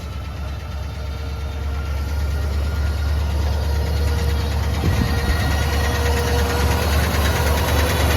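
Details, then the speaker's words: Boat-tail Riviera V8, long-time daily driven, first start after purchase (pink valve covers): steady low idle with a light, regular tick about three per second, sounds like a loose lifter or valvetrain tick; cause unconfirmed. "foreign and it sounds like a loose lifter or something like that to me a little tick"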